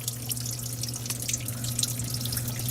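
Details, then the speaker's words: Under-sink kitchen leak in a 1958 house: irregular wet drips and splashes over a low running-water hum, dripping from several spots including the back corner; water damage and mold under the floor. "All right, dripping from right there, dripping from way back there in the corner, dripping here."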